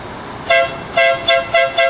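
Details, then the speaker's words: Smart car after replacement with an off-the-shelf horn: five short, crisp honks of a bright, clear note, each starting and stopping cleanly; new horn works properly, sounding much better than the original. "there you go that's it if you have a smart car you know what it sounds like before now it's much better"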